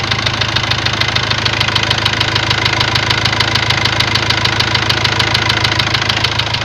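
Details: Ford Transit diesel at steady idle: a sharp, even knock at about 200 a minute. A warning light later lit and revs stopped rising; codes read high-pressure calibration data, cylinder balance and a leaking injector. Cause unknown.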